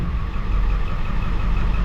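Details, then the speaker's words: 2007 Ford F450 with swapped-in 7.3 Powerstroke diesel at idle, check engine light on; contribution test shows cylinder 5 dead. Deep, shaky, lumpy uneven beat, runs good otherwise. Misfire traced to the under valve cover harness. "But anyways, she's running good other than the little shake and the check engine light, you know."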